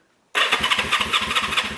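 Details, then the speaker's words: 1974 Honda CB360 motorcycle, coil and condenser removed: brisk even cranking pulses about five per second with debris blowing from the exhaust; healthy starter, normal cranking. "let's see if it cranks over look at that stuff's blowing out the exhaust i'll tell you what this one's got a better starter"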